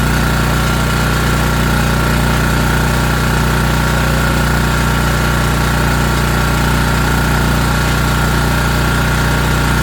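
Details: ETQ TG3000 3000 W portable generator after servicing, restarted on choke and fired right up: even, steady drone at constant pitch, no hunting, surging or misses, holding speed under its governor. Normal running.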